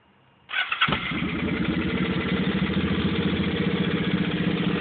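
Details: 2005 Suzuki Boulevard C50, just bought, recorded on a phone: engine starts and settles to a lumpy idle with a light, fairly quick tapping over it; strange engine tapping, cause not yet identified.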